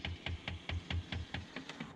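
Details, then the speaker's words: BMW E60 M5 driver's seat thigh-support motor, which has been sticking, makes sharp clicks with a dull thud about five per second. Owner suspects a broken plastic gear, as on the passenger seat, and plans a brass replacement. "I have been having a bit of trouble with this thigh support it has been getting a bit sticky and it's definitely starting to make a bit of a noise"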